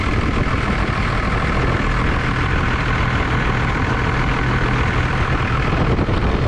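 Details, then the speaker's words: 1989 Dodge Ram D250 2WD, 12-valve Cummins turbo diesel with VE injection pump, not run in over 15 years; first run after new alternator, water pump and thermostat, warming toward operating temperature, even steady diesel idle clatter, oil pressure normal, no leaks. "this was the first run um getting it all the way up to normal operating temperature and everything seemed to do great no leaks"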